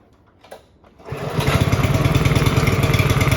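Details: Honda HRB215 push mower stored for years, after repair with a missing part refitted, choked: short pull, catches within a second and settles into a steady, even beat. Normal start and run.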